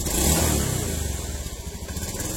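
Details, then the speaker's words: Honda Beat ESP injection scooter, 2016–2017, before repair: pulls away unevenly, stumbling at low revs as the throttle opens because throttle and engine RPM are unbalanced. It runs normally at mid to high revs. Causes given include dirty air settings, rusty fuse holders and the ECU. "Jadi ketika kita membuka gas, posisi di putaran bawah, antara putaran gas sama RPM mesin itu tidak balen ya, intinya tidak seimbang."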